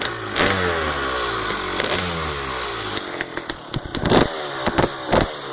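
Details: 1999 CR250 two-stroke blipped and rising in revs, with a crackly rattle and sharp snaps on each blip; the source of the rattle is undetermined. Engine rattle.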